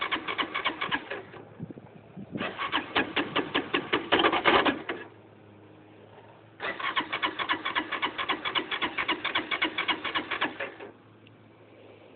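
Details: LF200III motorcycle won't start: three bursts of starter cranking at roughly four fast even beats per second, engine never fires; crank no-start.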